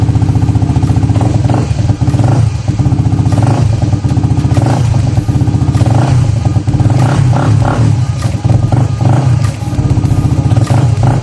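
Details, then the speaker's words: Honda CBR150R with about 44,000 km, after throttle body cleaning, new spark plug and Amsoil 10W-40 oil: smooth, low, even idle thrum holding steady without stumbling or tapping; running healthy. "So kitang-kita nyo naman mga tods, yung andar ay napakaganda. Kahit na siya ay 44 kilometers or 44,000 kilometers na yung natakbo."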